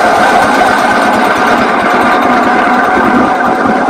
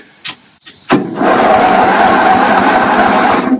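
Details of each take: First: Toro 8-32 riding lawn mower, engine refitted, fuel on, cranked via safety-interlock bypass: steady cranking about three and a half strokes a second, no firing; low compression around 55–60 PSI, carburetor also leaking fuel. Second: Toro 8-32 riding lawn mower, engine reinstalled, fuel turned off, compression low around 55–60 PSI: even, steady cranking about four pulses a second for over two seconds, no grinding or slipping; normal starter cranking.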